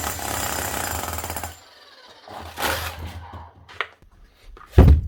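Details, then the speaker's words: Bosch GSH 11 E 240 V hammer after repair with an aftermarket AliExpress copy armature and fresh grease: hard, rapid, even blows for over a second, then it stops and the tool is handled; healthy hammer action. "So you got a nice slap here now. Nothing wrong with that."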